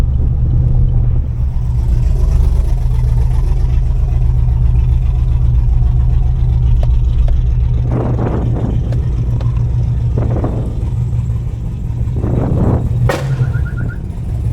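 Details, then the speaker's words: Camaro with an unresolved misfire and no trouble codes, in park: idles low and surges repeatedly without throttle, a couple of seconds apart; cause unclear. "see like that's not me man it's just spiking back in idle in park and it's it's idling low and just surging like crazy"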